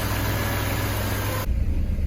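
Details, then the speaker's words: Porsche 968 after a cam chain and tensioner pad replacement, fully warm with the fans cycled on and off. A steady, even low idle with no ticking or chain rattle, with a slight tone shift partway through: normal warm idle. "We've run up to temperature the fans have kicked on and cooled back down again everything is purring along"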